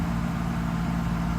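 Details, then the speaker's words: Mercedes SL600 after repairing mass air flow sensor wiring: smooth, even low hum with a steady idle, RPM no longer jumping, MAF readings restored. "engine runs pretty nice I don't know if you can hear it steady"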